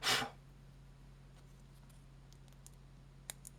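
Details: Razer DeathAdder Elite mouse after cleaning the stuck button switches with IPA and a toothbrush: quiet room with a few crisp, light clicks; the button switch sounds clean and responsive.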